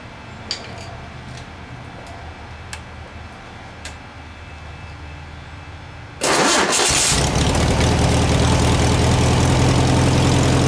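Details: 1967 VW air-cooled flat-four (ragtop), long-stored, on old stale fuel with fan housing off, after battery boost; silence, then fires quickly and holds a strong steady even idle. Running healthy.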